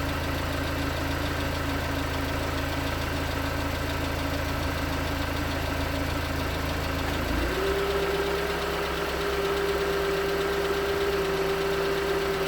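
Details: 2019 Hyundai Tucson 2.0L GDI Nu petrol engine, 24,000 miles, cold idle on Mobil1 5W-20 with under 1,500 miles on the oil: dull, uneven knock about two taps a second over a steady hum; suspected piston slap. Later 5W-30 helped slightly.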